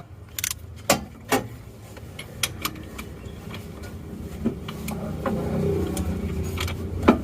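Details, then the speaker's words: Isuzu Panther diesel engine that had an engine overhaul (liner work) one month and 200 km earlier, towed in seized and won't start; turned over by hand at the front pulley it gives scattered sharp clacks, no even rhythm: broken crankshaft (con-rod or bearing also suspected). "ternyata setelah kita periksa ini mobilnya acernya itu seperti patah atau gimana Ya karena diputar Aster depannya bunyi suara klakkkkkk itu"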